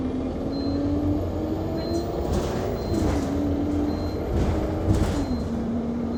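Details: Go-Ahead London (Blue Triangle) Enviro 200 MMC 10.9m bus SE310 YX69NNP on route 364, recorded on board while driving: a thin high beep repeats about once a second over steady drive noise; continuous warning beep, cause unknown.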